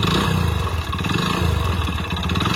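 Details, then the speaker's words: Hero Splendor Plus single-cylinder motorcycle, odometer rolled past 100,000 and now about 60,000 more: rapid, hard clatter over the low thump at idle and blips; mechanic diagnoses a failed engine with connecting rod knock. "Engine లోపల అదే అన్నమాట connected sound అంటే అదే మీకు clear గా అర్థం కావాలనే నేను సౌండ్ అయితే వినిపిస్తున్నాను"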